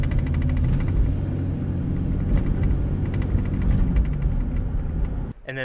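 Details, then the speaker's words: 2008 Chevy Silverado 1500 V8 before throttle body replacement: deep rumble with an uneven, stumbling beat and irregular surges, intermittently running extremely rough, misfiring and going into limp mode; throttle body suspected. "So, what this thing has been doing is running extremely rough. It'll run perfectly fine, but every once in a while it'll start running really rough."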